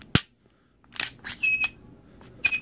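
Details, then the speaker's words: Glock 26 before Froglube treatment: sharp metallic clicks, with brief high squeaks as the trigger is released. The dry action is squeaky and doesn't go fully forward. "okay Michael I've 26 avan froglube did in a while and right now as you can hear so squeaky and it won't go full forward let's I release the trigger"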